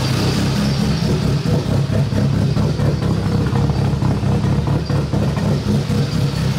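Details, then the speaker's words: BMW E30 with K24 engine on stock cams after setting base ignition timing to TDC: steady idle with slight uneven lope about twice a second, better than before but still running very rich; rough lopey idle, tuning still needed. "so you guys can see that there's still something a little bit lopy but I think that it has come a long way and that it sounds a lot better"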